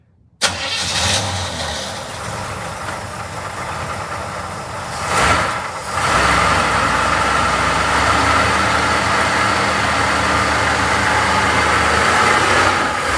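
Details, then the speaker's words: 1975 Chevrolet Monza with a 350 V8, first start in 12 years. It catches at once and settles into a steady, even, super-smooth idle with a brief blip. Normal start and idle. "sounds like the cam is a circle super smooth yeah super clean"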